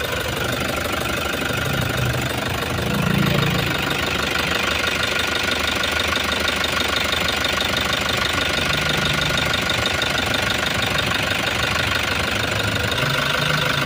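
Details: Toyota HiAce van diesel, towed in dead after another shop replaced the suction valve and it still wouldn't start (damaged pressure pump suspected), now restarted: steady, even diesel clatter at idle with no misses or stumbling, running strong and healthy.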